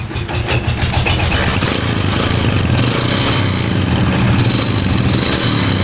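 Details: Honda Win motorcycle after repair: previously made a knocking "kotok-otok" noise, worn/broken rubber damper cushion replaced and flywheel refitted; engine starts with brief burst then settles into steady even putter, no knocking; normal idle.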